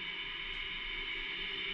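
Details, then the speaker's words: LG Multi V concealed-duct air handler not cooling, fan blades fully packed with dirt and barely moving air: a steady, dry high-pitched rasp over the running fan, attributed to blower motor bearings. Suspected, not confirmed. "and you think it is a problem but it's running you hear that sound that's the bearings oh man"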